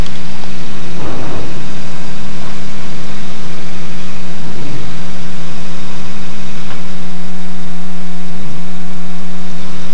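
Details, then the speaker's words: RV7 idling while taxiing onto the runway before a high-speed taxi test. An uneven, loping idle comes with a couple of soft pops over heavy prop and wind noise. It is a slightly rough idle with a tiny backfire, which is soon under control. "Idle sounds a little weird here. Tiny backfire. Alright, that's not too bad."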